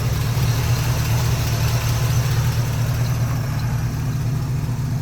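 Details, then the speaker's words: 1972 Chevrolet C10 4x4 pickup, 350 cubic-inch V8, automatic: deep, steady low rumble at idle with even beat, nothing ticking or knocking; runs nice, smooth and quiet. "Definitely going to clean up the motor a little bit, but the way it runs, it's nice and smooth. It's nice and quiet too."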